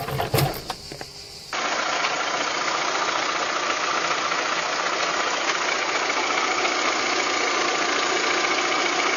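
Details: VW Golf 3 engine at idle: light, fairly regular ticking knock about three or four a second over the engine note; abnormal noise, cause unclear.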